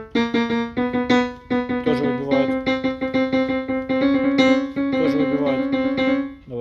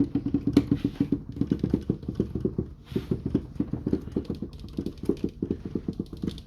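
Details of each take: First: Yamaha Clavinova CLP digital piano after cleaning: some notes and chords strike louder than others at the same touch, uneven velocity response; diagnosis found worn, dirty contact rubbers and key matrix faults. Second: Yamaha Clavinova CLP digital piano after cleaning dust and debris from under the keyboard: soft, dull, even key thumps with no metallic clack; key action now normal, metallic knocking gone.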